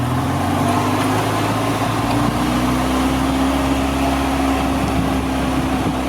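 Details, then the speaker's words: 2002 EZGO TXT gas golf cart, complaint that it won't go 15, on a GPS speed test: under wind noise the engine holds a high steady drone without the foot moving; the governor cable from rear governor to throttle body is stuck. "Okay, sounds like we have a stuck cable. So you can see I haven't moved my foot. Okay, we got a stuck cable."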